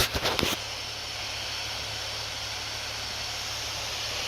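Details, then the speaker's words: Acer Predator Helios 300 laptop after greasing the fans, turbo mode at maximum fan speed: a few clicks then steady, smooth high-pitched fan rush with no rattle or grinding; normal full-speed fan. "oh that's a tunnel it's always like that and it's max"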